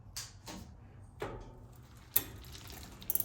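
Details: Bicycle rear derailleur upshift after adding cable tension at the barrel adjuster: a few crisp single clicks as the chain climbs cleanly on its own without pushing the lever, then light freewheel ticking; properly adjusted shifting.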